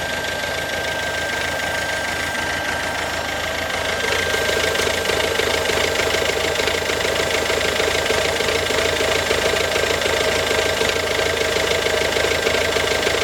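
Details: Ford Focus C-Max 2007, 1.6 TDCi 90HP diesel at idle: regular knock about three times a second over the diesel clatter, getting slightly louder midway; abnormal engine knock, cause unclear.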